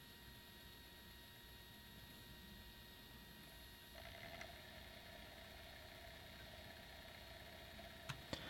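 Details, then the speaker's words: PlayStation 1 that wasn't reading discs: after cleaning with IPA and lowering the laser potentiometer from about 616–626 to 496, the disc spins up smoothly with no weak-laser clicking and the drive reads normally. "perfect yep it's picking up right away i don't hear that clicking noise anymore if you could hear the clicking noise previously that's an indication that the laser is just too weak that's a normal sound there it's going around the disc and getting into certain spots and then it's loading it into the ram"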